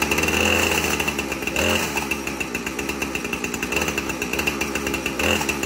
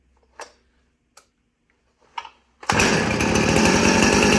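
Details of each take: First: 2010 Husqvarna 455 Rancher chainsaw run briefly to move an overly tight chain and find the slack, WD-40 applied to loosen it: steady revving with high buzzing whine, chain turning, no clear engine fault. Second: 2010 Husqvarna 455 Rancher chainsaw, chain brake broken and removed, saved from scrap pile: a few starter pulls, then catches and holds a strong, even two-stroke scream without stumbling; normal running, a good runner.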